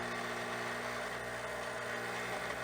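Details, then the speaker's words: Espresso machine, first shot of Mayorga Cafe Cubano organic dark roast at about 9.8 bar: steady strained pump drone with no flow sounds; grind too fine, nothing comes out, so the grind needs to be coarser. "we're definitely have to reduce the grind size for this dark roast nothing comes out okay so this is definitely too fine"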